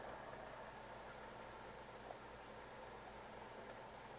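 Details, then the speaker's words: 1975-1977 GM Delco AM/FM stereo push-button car radio: FM tunes fine, but switched to AM only a faint, even static hiss, no station received; AM band dead. "Now here's the problem. When I go to AM, nothing."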